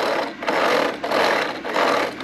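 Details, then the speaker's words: Hornby model train set: rapid rattling clicks in bursts as a coach not seated correctly on the rails has a wheel striking the track sleepers. "and that's the wheel it's hitting the sleepers the sleepers are those little black things um that are on the track there"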